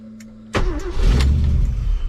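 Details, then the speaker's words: 1966 Ford Galaxie with an EFI and 6-speed swap, still untuned: a quick crank, then the V8 catches cleanly and settles into a strong, even idle with no knocks or misses. "So, still running pretty good considering it hasn't tuned at all. Starts pretty nice. Sounds excellent."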